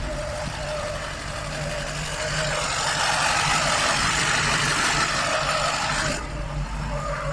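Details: Lada Niva 1.7 engine idles steadily, revs up smoothly for about three seconds, then drops back to an even idle; runs normally.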